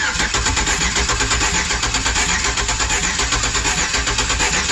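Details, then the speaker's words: 2008 Express, cranking after intake refit and fresh oil and filter, exhaust manifolds needing repair: starter chugs unevenly, some strokes weaker, no catch. Owner suspects compression not on all cylinders; oil pressure uncertain. "It still doesn't sound like it's got compression on all 8."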